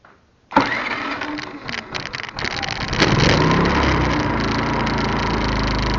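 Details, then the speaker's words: iQ3500 generator after no-spark repair, idling at the 1500-watt setting with slight surge, then high versus low speed: catches after a few uneven bursts, settles to a steady even drone; starts and runs fine. "Show you that it does run. Now that is super quiet. Now that's the way it idles of 1500 watts, so you can tell a little bit about the surge."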